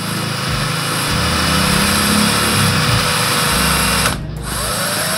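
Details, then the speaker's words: Honda Supra Fit motorcycle head (owner complained of noise and weak power), valve re-lapped once more: steady even back-and-forth rasp from the lapping tool, no gritty catches; valve seat smooth and finished. "sekarang suaranya sudah halus teman-teman"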